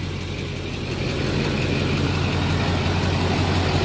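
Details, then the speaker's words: Duramax LBZ diesel idling after a fuel filter change to a CAT filter with aftermarket adapter and priming: steady, even clatter with a firm low rumble, no misses, knocks or hunting, no leaks seen; normal healthy idle. "I don't see any leaks of anything no leaks there so I would say your good luck sounds good"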